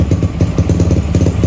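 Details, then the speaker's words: Supra X Daytona single with a new Yuasa battery after sitting long with stale fuel and a dead battery; carburetor found clean. Chugs steadily at idle with quick, even pops and clean pickup; running healthy. "Dan ini dia suara dari Supra Daytona menggunakan aki baru. Dan gimana suaranya? Pastinya keren sih."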